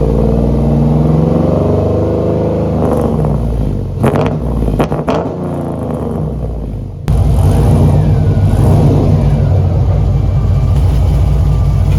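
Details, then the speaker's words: Trailblazer SS V8 during track prep, exhaust/muffler setup welded in: deep rumble rising and falling with revs, coarse rasp and clatter on top; owner finds it too raspy and clappy, possibly leaking at clamped joints. "let me know what you think about that exhaust I am still not sure I didn't think I would have this much trouble deciding on an exhaust or at least a muffler setup for this truck to me it sounds a little bit too raspy a little too clappy"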